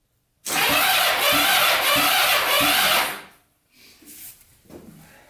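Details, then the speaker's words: 1980s Kawasaki Mule 450cc, seized and rusted, rebuilt top end with cams timed and higher compression, gas on the carburetor: starter churns unevenly about three seconds without firing; cranks but won't start, compression seems pushed out the carb, carbs to be cleaned. "no go by putting uh gas on the carburetor i think we're gonna take these carbs off clean them go through them and then try this again"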